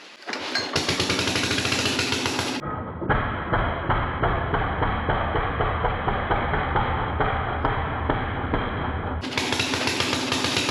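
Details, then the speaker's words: 1957 Gard'n Mast'r tractor, Briggs & Stratton series 23 9hp single, first runs after decades parked: rough uneven chuffing that loads up, fuel overflowing from the carburetor, running too rich; improves after float fix, muffler partly blown off. "it sounds like it was running too brick it looked like the fuel was overflowing in the carburetor that's a little better"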